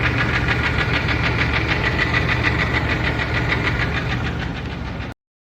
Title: Engine Knocking, Coming from Bellhousing, starter, Oil pan area